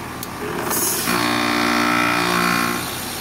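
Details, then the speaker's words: Trane/American Standard heat pump with scroll compressor, spline fin coil and quiet shift after forced demand defrost: hiss builds into steady layered whoosh then eases, normal reversing valve shift back to heat mode. "and now we're back into full-on heat mode uh but that happened because we have all three of those J terminals there because we have a scroll compressor spline fin cool and a quiet shift option"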